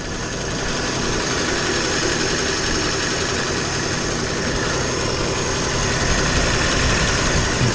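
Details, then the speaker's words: 1950 flathead Ford V8 Pilot, back on a points-ignition distributor and original carb after electronic ignition was removed: warming up at a steady, even low idle with a soft regular beat and no misses or knocks, a normal warm-up idle. "right let's go and check up on the pilot she warming up nicely"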